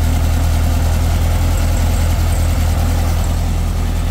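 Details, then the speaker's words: Beetle restarted after getting spark back, one spark plug still to change: low idle with uneven, lumpy beat and stumbles, nearly dying; owner thinks it's missing a little, perhaps clearing fuel; cause unconfirmed. "she's alive still kind of sounds like it's missing a little bit I still got one plug left to do she wanted to die"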